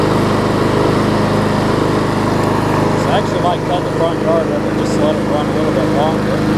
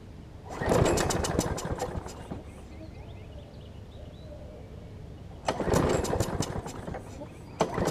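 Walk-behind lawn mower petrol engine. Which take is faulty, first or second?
second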